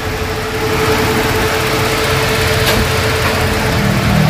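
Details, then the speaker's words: Toyota Revo gasoline engine converted to a 90 A alternator with a new diode: smooth, even idle with headlights and A/C on, compressor magnetic clutch engaged, faint steady hum and no dips; charging reads 14 V under load, up from 13 V before. "Yan, buhayin natin yung aircon. Dapat guys, ang palo niyan sa reading ng voltmeter ko 14. Yan, ito guys, naka headlight na. Yan. Yung compressor naka-engage yung magnetic clutch."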